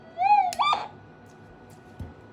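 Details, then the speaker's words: Minelab SD2000 metal detector at switch-on: short warbling squeal rising in pitch for about half a second, then quiet; noisy startup audio because no amplitude limiter suppresses it. "They're noisy. I don't know why they didn't put a voltage, or should I say an amplitude limiter on these detectors on startup, just to suppress the audio."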